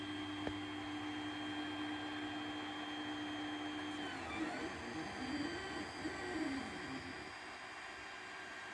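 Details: 3D printer after a clogged nozzle was replaced and the bed re-leveled, new print starting: steady motor hum shifting into varied warbling stepper tones as the head moves, no clicks, knocking or grinding; printing normally.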